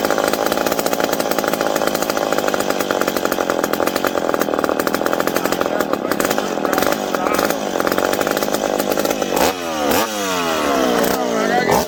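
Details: McCulloch PM700 chainsaw, freshly ported, first run after fuel tank refit: crisp, even high-pitched buzz holds steady, then free revs up and down cleanly; runs healthy.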